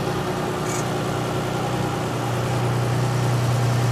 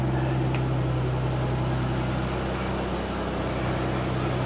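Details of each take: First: 1999 Isuzu Rodeo revived after years off the road, new fuel pump, just started: steady idle, low even hum with faint whirring building late; noise at idle, owner suspects idler pulley bearing, unconfirmed. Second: 1999 Isuzu Rodeo that broke down years ago, first start after refitting the gas tank and new fuel pump: steady even idle with a faint whir up top; owner suspects an idler pulley bearing.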